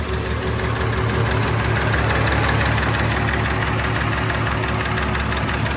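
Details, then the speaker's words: VW Jetta VR6 with newly installed engine, straight-piped, first start-up: quick steady ticking about three a second over a loud idle, owner finds it too loud for a VR6; possible valve tick. "I know Volkswagens are a little noisy but I'm not sure about this movie and especially on the VR6"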